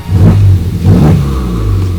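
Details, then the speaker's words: Totaled Honda Civic Type R turbo engine being revived, running with coolant after a new reservoir; two quick, crisp revs that climb and fall cleanly with no knocks or rattles, turbo sounding nice; healthy turbo spool. "Oh, the turbo sounds nice. Come on. You're almost there, man."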